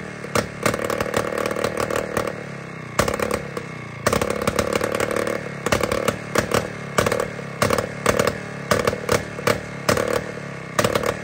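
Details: Jawa 250 type 592 two-stroke after a complete overhaul: it bursts up, stumbles and drops out in uneven surges, never settling to a steady idle; air is leaking at the crank seal and carburettor gasket, and the plug was also changed.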